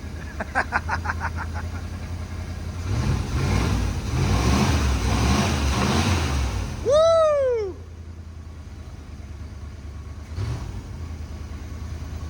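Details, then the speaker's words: 1986 Dodge Diplomat police car parked 25 years, after adjusting an out-of-adjustment cable: steady, low, even V8 idle with regular beat, no shake or miss; smooth normal idle, calmer than the earlier jittery idle. "thing idles so smooth wow that was yeah that fixed the car look at that it it's not even like shaking or anything that's so smooth"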